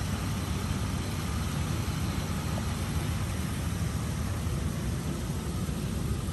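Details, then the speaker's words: 1986 Oldsmobile Cutlass Supreme at idle after firing right up: even, steady low rumble with no misses, knocks or surging; normal smooth idle. "marker lights are on you have the high beams on so you all the lights are working as they should you can hear the nice smooth idle"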